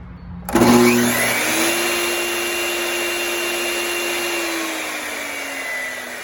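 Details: 20-year-old Bosch 4000 table saw after replacing the speed control board, which had made the motor run slowly backwards: the motor snaps on, spins up fast and holds a smooth, steady hum with an even whine and no grinding. It is running normally.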